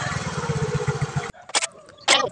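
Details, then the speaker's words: Yamaha Mio scooter, braking while revving: engine runs rough with fast, coarse rattle from the CVT belt drive, then cuts off; cause unconfirmed. "Ketika sudah hidup lalu kita coba ngerem sambil ngegas, ada bunyi aneh di bagian CVT kayak gitu."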